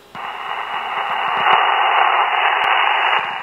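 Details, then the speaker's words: Radio receiver (SDR) picking up a steady static hiss with a rhythmic pulsing tick of about four per second, a cadence like a washing machine. QRM (RF interference) in the house; a motor or pump is suspected as the source. "got it's got like a cadence to it right it's a duh duh duh duh like a washing machine or something"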